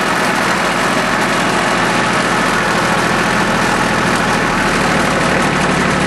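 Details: Small Yanmar diesel with three injector lines, just restarted after air was bled from the whole fuel system following a fuel filter change that left it unable to start: even, steady clatter at a constant idle, no misses or hunting.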